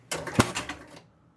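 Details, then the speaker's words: Spirit of 76 electromechanical pinball, start pressed a second time: one short clatter as drop targets reset, then silence, no score reels turning; machine won't start, deliberately introduced fault. "Not much."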